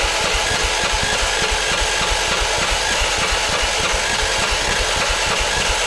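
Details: Predator 420cc 13hp single in a golf cart after carb cleaning and an exhaust upgrade: quick, slightly uneven putter at fast idle, steady level, no knocks or misses; running normally.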